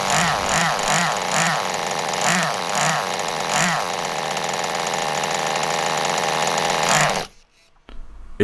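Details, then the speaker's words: Restored 2001 Kyosho Pure Ten V-One S nitro RC car, first start after priming: small nitro engine burbles in an uneven, blubbery rhythm around three pulses a second before cutting out; running very rich, exhaust still to be fixed. "running very rich but i would call that a success i'm super stoked that it started up"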